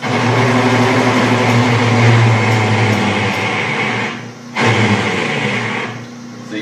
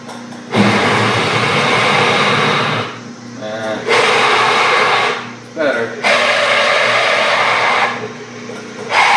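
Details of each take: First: Small lathe drilling a go-kart rear-wheel part with a 3/4 inch bit: steady motor hum laden with rough, labouring chatter that drops away briefly mid-cut; the lathe is straining on the oversized hole. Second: Small lathe drilling a go-kart rear-wheel part with a smaller 5/8 inch bit, after the 3/4 inch bit overloaded it: bursts of steady, even cutting hiss with short pauses between passes; drilling is smooth and normal.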